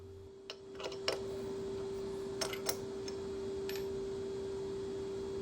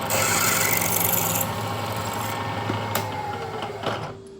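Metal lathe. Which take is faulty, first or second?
first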